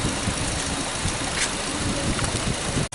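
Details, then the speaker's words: Nissan Versa brought in for battery drain, idling; rough, uneven idle with irregular stumbles, misfire, no secondary ignition waveform from cylinder 1 coil while 2–4 show signal; cause not confirmed. "you hear the vehicle misfiring."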